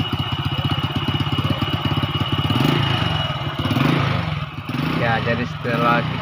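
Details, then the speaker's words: Four-stroke motorcycle after manual valve (tappet) adjustment, engine running: even, steady thumping idle with no ticking or tapping that was loud before adjustment; aftermarket replacement exhaust sounds slightly raspy. Normal idle. "setel tile punya seperti ini ini memang motor knalpotnya juga knalpot asli knalpotnya sudah ganti knalpot biasa jadi bunyinya memang kurang bagus"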